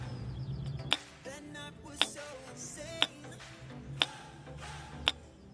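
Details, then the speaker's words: Pontiac Grand Am EGR valve bench-tested with 12 V applied: five crisp, evenly spaced clicks about one per second as the piston moves up and down; valve works normally. "If you inject current into it, the piston that is going up and down is going to thunder it means that your valve is fine if you do not do this it means that your valve has already failed"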